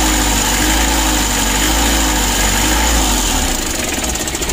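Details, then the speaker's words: Mitsubishi L300 diesel idling too low and rough, with an uneven knocking, grumbling note and the engine visibly shaking. This is attributed to fuel starvation from a clogged fuel filter. "Lor untuk permasalahan pertama mesinnya goyang seperti ini lalu yang kedua Suaranya sangat kasar bertelur suaranya ada ngorok"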